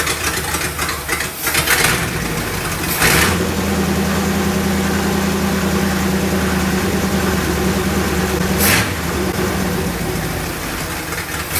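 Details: 1965 Chrysler Imperial LeBaron V8, abandoned 20+ years, new Edelbrock carburetor, exhaust leak and radiator leak noted; catches after a few rough bursts then steady even idle with low hum, no knocking; normal idle.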